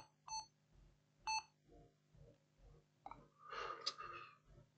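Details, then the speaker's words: Lenovo ThinkPad Yoga 11e with no display: after reseating the 8 GB RAM and resetting the BIOS battery, the fan spins and clear, evenly spaced high beeps repeat about once a second with no picture, possibly a RAM failure beep code. "you can hear the beeping sound what is the problem here why we don't have picture"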